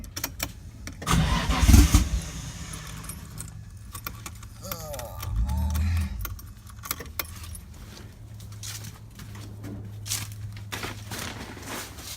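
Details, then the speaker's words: Datsun 240Z with RB20DET swap, no exhaust fitted: after keys rattle the engine catches loudly, revs sharply for about five seconds, then settles into a rough, lumpy, smoky idle; first start. "all right she started sweet turn it off like I get cable I got started and smoky good"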